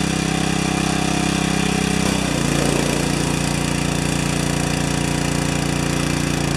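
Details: Four-horsepower Briggs & Stratton vertical residential pressure washer damaged by freezing: small engine runs steady, then the note drops and settles after two seconds as the pump blows through; the wand won't seal, so the unloader valve is bypassing.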